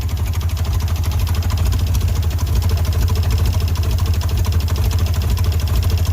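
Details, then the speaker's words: Ford Bronco II, sat for 5 years, first start after priming with a dump of gas: low lumpy idle with uneven pulses that won't settle, running rough. "this is some very old I mean as you can see she's not running very smooth"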